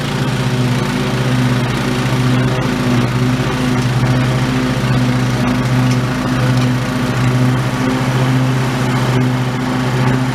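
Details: Old OHV Briggs single-cylinder on White LT1300 mower after repair, mowing: steady even drone under load, no knocks or surging, governor holding speed; normal running under load.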